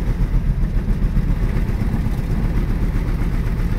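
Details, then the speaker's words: 1965 Ford Mustang coupe, not run since last year, just had points set, plugs cleaned, timing adjusted: lumpy uneven idle with pulses stumbling and dropping out; aggressive misfire, more adjustment needed. "a little bit well sounds like it's missing"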